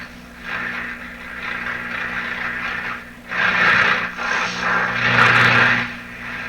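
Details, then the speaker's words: Atwater Kent Model 36 radio with a suspect output tube, speaker refitted, antenna on red wire, turned up and tuned: swelling hiss and crackle over a low steady hum, no station; radio seems to work, only household interference. "Okay, so I'm picking up things that sound like interference in my house. It really sounds like the radio is operating fine. It's just not finding any stations."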